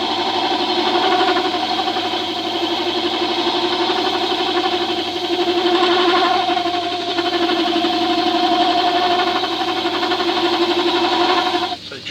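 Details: Tool steel hand-turned on a woodwork lathe at its slowest of three speeds with a custom diamond-profile cutting tool: steady motor hum with light scraping hiss, smooth cut, no chatter; normal lathe cutting.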